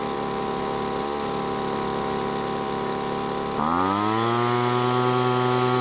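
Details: Poulan leaf blower that wouldn't start, after engine teardown and backing out the idle set screw: rough uneven note catches and climbs to a steady, even buzz holding pitch; normal running after repair.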